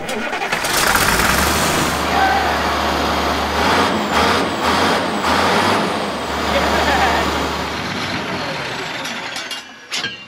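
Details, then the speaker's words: 1965 Allis Chalmers TL645 wheel loader diesel whose injection pump was found gummed up. The diesel keeps clattering at steady idle long after it should stop, winding down only late: the fuel shut-off solenoid failed to shut it off. "fuel shut off solenoid did not shut the machine off"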